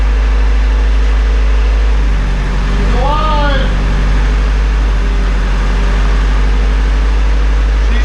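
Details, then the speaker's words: Honda Civic Si after rebuild, new ignition coil fitted, no coolant yet: low steady idle rumble with even beat, no misfire; started instantly, ran a little rough at first then smoothed out. "Got her fired up, put the new coil in, it was just instant, as you saw. Ran a little rough at first, smoothed itself out, sounds awesome."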